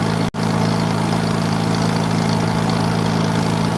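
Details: 1940s wood splitter with an International Cub engine, running after about 40 minutes of starting and with the main jet richened, as hydraulic pressure is released. Steady low-pitched idle with an even beat, no surging: normal running, though the carburetor needs work.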